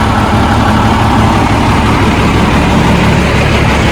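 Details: 1987 Ford LN9000 diesel truck after sitting about 20 years in a field; steady, deep diesel clatter at an even idle with no misses or knocks; idling normally.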